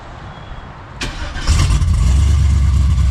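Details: LS-swapped Box Chevy wagon V8 with a big cam, partly tuned on a janky swap harness (new harness ordered): starter whirr, then it fires and settles into a rhythmic loping idle of about three or four lumps a second, idling pretty good; lopey cammed idle.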